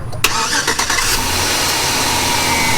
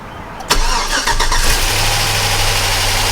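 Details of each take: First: 2005 GMC Sierra 4.8 LS after oil pump replacement: starter whirr, quick catch, then steady even idle with no knock or tick; engine healthy. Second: 2005 GMC Sierra 4.8 LS, cold start, gauge shows almost no oil pressure (about 25 psi revved, then falling): steady idle with fast light top-end ticking from noisy lifters, not knocking; failing oil pump.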